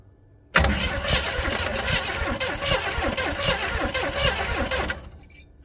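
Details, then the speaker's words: 400 small-block Chevy in a rat rod, sitting outside in the weather for 13 years: even, fairly quick starter cranking for about four seconds with no firing or catch; cranks but won't start. Spark was present, but the plugs were fouled and wet. "no she doesn't even seem to be trying let's check to make sure we still have spark"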